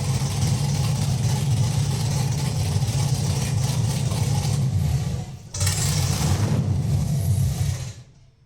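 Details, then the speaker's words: LS V8-swapped Rocket Bunny widebody Toyota GT86 on first start: deep, even V8 rumble holding steady, a brief dip then back up before shutdown, no misfire or stumble; runs properly. "oh my God you can't even begin to comprehend how relieved I am to hear that family run and run properly"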